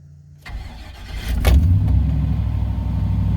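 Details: 1997 Chevy 3500 4x4 dually, 454 big-block V8, cold start at about 21 degrees with frost, no throttle: fuel pump primes, starter cranks under a second, catches at once and settles to an even, steady low idle; healthy cold start.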